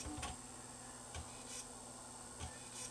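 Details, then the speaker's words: Sony BDP-S350 Blu-ray player, blue laser spun up on a disc: soft ticks and clicks about every 1.2 seconds over a faint spin hum as the drive keeps retrying focus and never reads; lens contamination suspected, not confirmed. "now when the blue laser spins up the disc is spinning is it going to read it's trying it's trying real"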